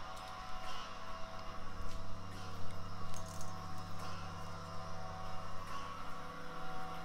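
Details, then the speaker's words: ABS unit during a brake bleed commanded with an Autel DS808 and a Wuth pressure bleeder, front right wheel, about 1 minute per wheel: steady low electric hum with faint pulsing drone; ABS pump running normally. "Là, on entend vraiment bien le boîtier ABS qui travaille. Ouais, faut compter environ 1 minute par roue."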